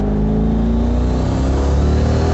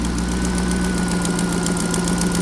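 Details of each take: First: Turbo Corvette after the boost leak was fixed: a short pull in third gear with a strong engine note and a clean turbo whir. Boost is restored from the earlier 5.9–6 psi. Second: Turbo engine that lost boost and is down on power, idling steadily with a faint, quick puffing tick over the exhaust note from an exhaust leak on one side. The PCV system was recently reworked.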